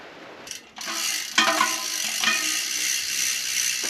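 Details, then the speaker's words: Cheap carbon bike wheels, reasonably new rear hub with spring-loaded pawls and factory grease, coasting; fast, crisp, even ticking as pawls bounce over ratchet teeth, no grinding or skipping; normal freehub ticking. "So when it's why it makes that ticking noise. Yeah. When you're coasting, they are constantly bouncing down and back up through those little peaks and valleys, making that noise."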